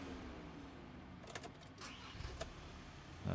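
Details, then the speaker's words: 2013 VW Amarok automatic (transmission stuck in Park, no communication with DTC reader): starter gives a few sharp irregular clicks and crackles without cranking, as if low battery voltage; cause suspected, not confirmed. "doing it this time it was clicking and it was not cranking over like it had low voltage you could hear it crackling and everything like that"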